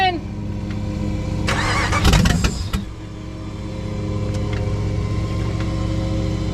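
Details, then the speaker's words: Dodge Ram project truck: cranking catches into a ragged, stumbling idle with irregular firing, barely running. A leaking fuel line to the other rail is pushing fuel out; new rail fittings are ordered. "So, as you got to see, we did kind of get it to fire. I guess you could call it that."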